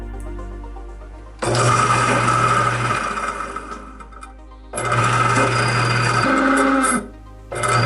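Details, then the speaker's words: Garbage disposal that turns hard: starts in three short bursts with a coarse, grinding roar over a low hum. "Today I'm going to fix my disposal machine. It turns hard and it makes noises."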